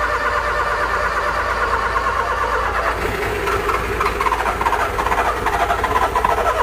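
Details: Car engine cranking with an uneven tec-tec clicking, roughly two a second, over weak turning while the key is held; the engine never catches. Clicking when cranking, no start.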